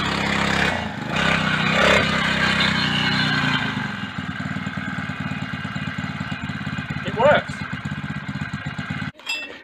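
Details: Small single-cylinder four-stroke bike started with a little choke after fitting a new transmission drive belt: catches and settles into a steady, even popping beat, first start in weeks; belt drive runs fine.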